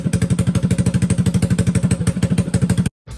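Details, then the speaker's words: Suzuki GN400 single after its revival (exhaust header welded to a slip-on, carburetor rejetted, new rear tire, brake line fixed): even thumping of about ten firing beats a second, no misses or knocks, idling cleanly. "I would say that this clunker has been saved it was a great little project for a bike that was left for dead and I think we should listen to it one last time"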